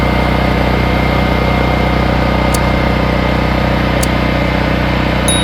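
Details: Generac RS8000E 8000-watt battery-start generator after starting, knob switched to run: steady engine drone with an even beat of about three and a half per second, no misses or surging; runs smoothly.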